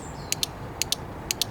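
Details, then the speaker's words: Crisp, even relay clicks as a relay tester checks the internals of a relay from a 1.4 Mk6 VW Golf with no start, no crank and no comms; relay tests good, nothing wrong with it. "definitely some it happening let's see what comes up and that comes up as good so nothing wrong with that relay is there"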